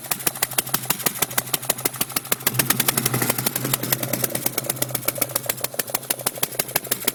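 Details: 2002 GT with the spark plug blown out of the third cylinder on the passenger side: sharp, loud puffing tick about six times a second over the idle as compression escapes; re-threading fixed it.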